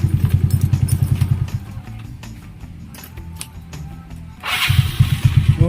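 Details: Yamaha Mio Sporty scooter after a tune-up for hard starting and delay: the engine fires quickly and settles into a steady putter, drops back, then catches again cleanly over background music, a normal start.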